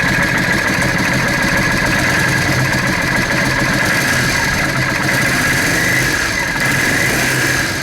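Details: Yamaha Drag Star 650 carbureted V-twin, spark plugs white from lean running, before intake boot replacement: uneven, slightly hunting idle with a loose, irregular beat; intake manifold air leak through cracked intake boots causing lean idle.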